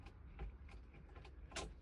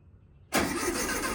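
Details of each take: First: 1969 VW Beetle, first start attempt in 33 years, rebuilt carburetor and rigged fuel supply: about two seconds of even cranking that never fires; cranks but no start, later runs after the points were cleaned. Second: 1969 VW Beetle first start in 33 years after cleaning points, rebuilding carburetor and rigging a makeshift fuel tank: quiet, then catches abruptly into a steady air-cooled running note; clean first start.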